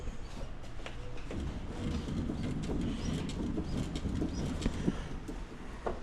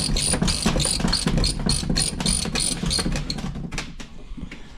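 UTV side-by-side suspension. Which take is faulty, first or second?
second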